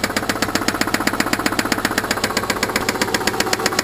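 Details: Subaru engine at idle: sharp, steady knock about four times a second, louder than normal piston slap; cause not yet pinned down.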